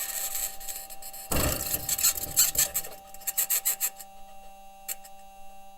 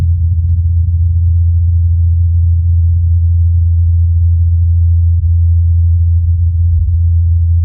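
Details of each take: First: also present in the recording is a high-pitched scratching noise which the team has yet to explain Second: NASA Ingenuity helicopter on Mars, fourth flight, rotor sound recorded by the Perseverance rover's microphone: a steady, even low hum at one pitch with no knocks or wavering. The blades are spinning normally.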